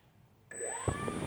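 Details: E-flite SU-30 RC jet at idle before fuselage repair: a sharp, steady electric whine, even with no roughness. The left ducted fan motor runs normally; the right one does not run, with a suspected bad ESC or fried motor.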